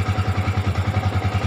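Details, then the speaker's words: Yamaha Vixion that would not start or stalled suddenly, caused by a weak battery: even idle at about seven pulses a second, steady without stumbles; no engine fault, normal idle, fix is a new battery. "dengan S tidak ada kerusakan di sini di mesin yang lain tidak ada kerusakan ya"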